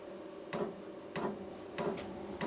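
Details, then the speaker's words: Portable diesel air heater at startup: the fan spools up, then the fuel dosing pump ticks crisply about every 0.6 seconds over a quiet fan hum as the exhaust starts to fire. The pump is probably the noisiest part; this is normal fuel pump ticking. "right you can hear the fuel pump ticking and there's a little picture of the fuel pump there"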